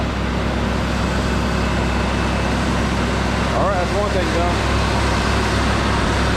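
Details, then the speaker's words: Mercury Bobcat Villager hot idle after fixing exhaust leak with a pipe plug: smooth, steady low rumble, no puffing or ticking; exhaust sealed and much quieter, normal idle. "I'll fire it up and see how much quieter it is just hers now"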